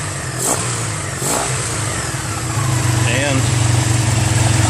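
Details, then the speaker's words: 1985 Honda Sabre VF1100 V65 V4 after full carburetor cleaning of clogged jets and stuck slides: even low burble responds cleanly to throttle without choke; carbs now feeding properly, some valve ticking and smoke noted. "but as you see no choke respond to throttle"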